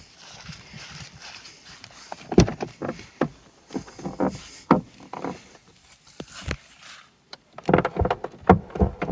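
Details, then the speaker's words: Peugeot 308 T9 doors, two years after door stopper repair kit, in about 25° heat after sitting in sun: irregular dry creaks and woody clunks as the door swings; dried door check straps creaking. "so it's been about 2 years since then and in hot weather let's say when it's around 25° outside and the car's been sitting in the sun the doors start to Creak a little again it sounds like this"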